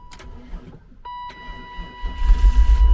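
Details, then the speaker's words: Automatic car with bad compression on 2 cylinders, on a good battery after the dead one: brief uneven cranking, then it catches right up and runs a little rough; low compression the likely cause. "Hell yeah. A little rough, but it started right up."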